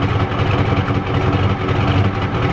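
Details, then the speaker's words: 1993 Ford F-250 XLT 7.3L IDI diesel, sat for about a year, warmed up and hot: heavy, lumpy clatter at idle with an uneven beat. Owner suspects timing is off, the injection pump is bad, and it may be flooding; rough idle. "yeah it's out of time hear it yeah next year we'll take it to the dealership and we'll have it redone"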